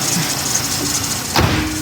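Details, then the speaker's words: 2011–2017 Dodge Caravan 3.6L Pentastar V6, first start after oil cooler housing replacement, running with coolant cap off to burp the system: smooth, even idle with steady low hum, no knocks, brief clunk; normal idle. "I'm going to fire it up. It all sounds right. I'm just going to let it run for a minute here with the cap off to see if she burps herself."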